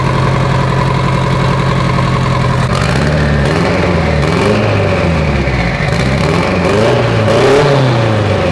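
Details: Mitsubishi Evo 8 being built for 800whp, restarted after coolant top-off; oil pressure, AFRs and fuel pressure all good: steady even idle hum, then smooth throttle blips rising and falling cleanly; normal idle.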